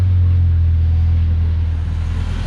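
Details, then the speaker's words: Yugo Sana GL just revived after 20 years, on manual choke, slightly rich, no obvious leaks: steady even low idle rumble, no knocks, misses or ticks; sounds quite refined, normal idle. "Certainly no obvious leaks, and blimey, that does sound quite refined. I'm very surprised."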